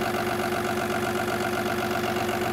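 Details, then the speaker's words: Cummins B6.7 EPA 2017 diesel engine training bench with EGR, DPF, SCR at about 1,000 rpm PTO idle: uneven, lumpy beat under a steady whining tone, misfire induced by a fault box. "Start with one here. You can hear the engine's got a misfire."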